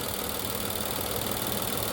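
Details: 2020 Infiniti QX60, 95,882 miles, with oil consumption, codes P0300/P0304; steady idle with a rough uneven stumble from a cylinder 4 misfire, a coil first suspected.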